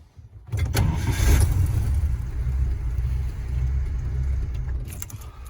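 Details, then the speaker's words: Warm vintage carbureted engine deliberately flooded with extra fuel shots, replicating hot-start flooding: starter churns several seconds with an uneven, hesitant rhythm before firing, fuel smell noted; flooded engine, extended cranking. "You hear that longer cranking. That's definitely what's happening after you leave your car for a few minutes. I can smell fuel."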